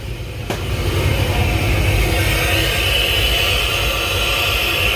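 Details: Cammed 6.0 LS with Edelbrock Pro-Flo 4 EFI in an 85 Chevy K20, first start, running without a thermostat: loud rushing hiss of intake air over a lumpy cam idle. Normal intake suction noise.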